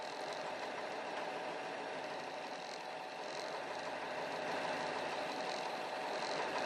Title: Rough idle